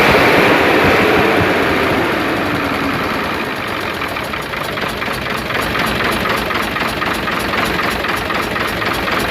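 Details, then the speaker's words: Hino Euro diesel truck idling, heard from the silencer side after work improved the missing: steady rhythmic chuff about four per second persists, which the mechanic likens to valve seat noise; exhaust chuffing. "आवाज अभी भी आ रही है और छुप-छुप कि आवाज आ रही है जैसे सीटों की आवाज होती है"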